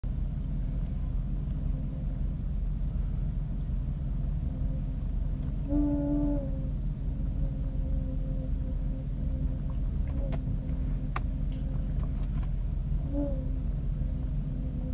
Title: 2000 jeep grand Cherokee 4.7L wj humming sound from engine bay at idle